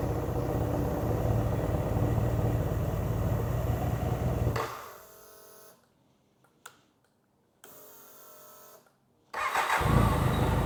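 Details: 1993 BMW K100 motorcycle after long storage, new battery and fuel pump fitted; an uneven, throbbing idle drops away and dies, then restarts, rough running that the owner suspects comes from sitting unused, with a strong smell of old gas.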